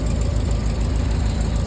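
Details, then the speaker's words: Rolls-Royce Silver Cloud S2 warm idle, plug leads pulled one by one: uneven stumbling beat with gaps; two cylinders misfiring on the driver's side, suspected spark plugs. "This side is working. So it's just 2 misfires on the driver's side."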